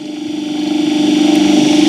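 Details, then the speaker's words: Squirrel cage induction motor on a trainer kit, light load being raised in steps, speed near 1390–1416 rpm dropping slightly as load rises; smooth steady mid-tone hum, no knocks or rattles; normal running. "Next ಅದೇ ಥರ rice ಮಾಡ್ತಾಯಿರಿ. Rice ಮಾಡ್ತಾಯಿದ್ರೆ speed ಸ್ವಲ್ಪ ಮಟ್ಟಿಗೆ ಕಮ್ಮಿ ಆಗ್ತಾ ಇರುತ್ತೆ."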